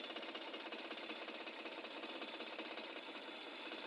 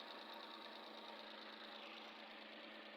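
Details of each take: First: Suzuki K6A petrol engine idling with a busy, uneven clatter and shaking: misfire from dead cylinder 2, whose spark plug is soaked with oil. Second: Suzuki K6A petrol engine idling after replacing the misfiring spark plug: steady, even clatter with no stumbles or shaking; misfire solved, normal idle.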